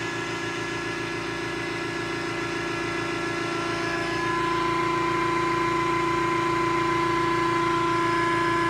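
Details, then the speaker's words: 100-ton hydraulic press with ram moving slowly: steady even motor hum with clean constant tones, no knocks or jitter; normal hydraulic press operation. "Moves nice and slow, which is good. I'd rather it move slow than really fast and jittery."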